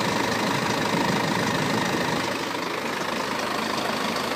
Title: BMW F10 520d Timing chain noise